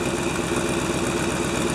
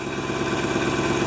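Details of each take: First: 1997 GMC Suburban V8 at idle, about minus 6 degrees: rhythmic puffing tick riding each firing pulse from an exhaust leak after the catalytic converter; owner considers it minor and not yet repaired. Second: 1997 GMC Suburban at about minus 6 degrees, after new fuel filter installed, checking for leaks: smooth, even idle with a steady low drone and no stumbles or knocks; normal idle.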